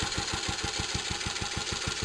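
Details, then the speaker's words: Restored J.A.P. Model 5 single-cylinder stationary engine, rope started cold on lots of choke after a few weeks unused: thumping about six beats a second, pulses a touch uneven in strength; slightly uneven running after cold start. "It hasn't been started for a few weeks, so just being a little petty there."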